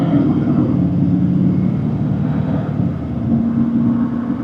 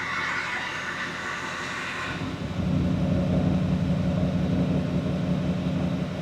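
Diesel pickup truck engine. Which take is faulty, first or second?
second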